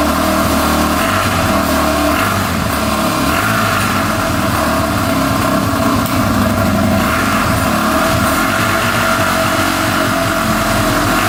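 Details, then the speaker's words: 2005 Yamaha TTR250 that had sat without starting, after replacing a carburetor needle that blocked fuel: loud steady engine note with rising and falling revs, no ticking or stumbling, no carb leaks; normal running. "oh yeah sounds pretty good [Music] running really good no leaking from the carburetor so I think we're all set sounds great no ticking"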